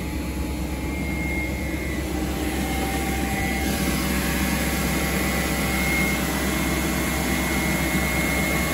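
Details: BMW 740i E38 facelift 4.4 V8 petrol at cold-start idle: a thin constant whine over the engine is the secondary air pump (emission control air pump 11721707585) feeding air into the intake, normal until it shuts off.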